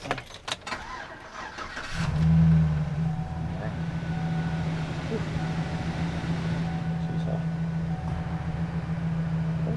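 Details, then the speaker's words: 2007-2011 GMC Sierra 1500 V8 after replacing spark plug wires and adding protective boots; quick catch after brief crank, then steady, even low hum with no misses or ticks, no warning lights; normal start and idle. "good good no air lights or anything else sounds good"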